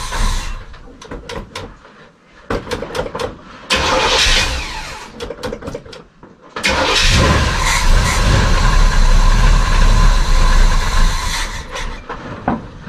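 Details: 1973 GMC 2500 Camper Special 454 V8 parked 13 years with old gasoline, rear tank suspected clogged: repeated cranking bursts about four turns a second with no firing; cranks but won't start, stuck needle or float suspected.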